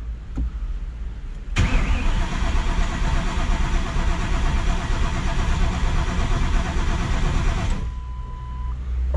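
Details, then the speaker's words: Newly built 1200+ horsepower engine, fuel system primed, first start attempt: starter spins engine steadily about six seconds with no firing and no crank signal seen on laptop; crank no start, ignition timing found incorrect. "beefy putting that starter to work a little bit more a little bit tighter you know I mean I don't think I have a crank signal I didn't see a crank signal pop up"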